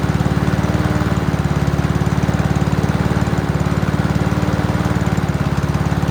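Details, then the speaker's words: Free Honda mower, GCV single-cylinder engine, first run before a tidy-up: steady, even firing beat with no misses or knocks; a healthy engine that still needs minor tune-up work (clean plug, check throttle cable, fuel lines). "That seems like quite a healthy engine. Still needs minor tune-up work."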